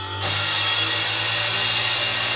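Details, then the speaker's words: Old Bradbury 700 3-ton 4-post lift with a Land Rover on it, motor driven by a VFD inverter with deceleration turned off: motor hums up to speed in a fraction of a second, then a steady whirring hiss with a low hum as pressure builds; normal hydraulic pump running. "So that's the motor coming up to speed, the pressure's coming up inside here."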